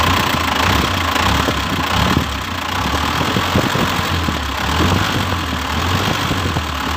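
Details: Toyota Dyna Rino with B12 diesel engine, first start after a full engine overhaul and reassembly: steady idle with an even low thrum and light clatter, no knocks or misses. Normal diesel idle.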